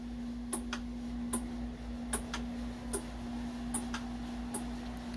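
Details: Whirlpool WTW4816F top-load washer in wash mode: sharp ticks about every 0.8 s over the motor hum while it hardly agitates. The shifter arm is loose, and the fix is replacing the shift actuator. Shift actuator clicking.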